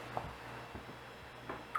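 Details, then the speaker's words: Old IDE hard drive from a server, 312 GB, about five years uptime, good SMART data: steady low hum with irregular ticking over it; drive sounds awful but works, cause of noise unclear. "but this one does work it sounds awful but it works"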